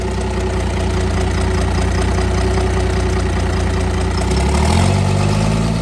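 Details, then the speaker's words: Cummins diesel burnout truck thought blown up, restarted; steady, even idle with regular clatter, no knock, briefly revving near end; slight sewing-machine exhaust kick said to be normal and common on these: normal idle. "man that's awesome not a noise at all that's that's normal that's common on these that's just the exhaust he's got a little exhaust kick like a sewing machine"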